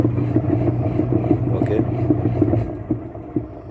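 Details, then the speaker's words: Hitachi washing machine after repair, wash motor on timer turning one way then the other: steady low motor hum with light regular ticking about three a second, no grinding; normal wash motor operation. "একপাশে ঘুরছে এখন না আবার আরেক পাশে ঘুরবে ঠিক আছে"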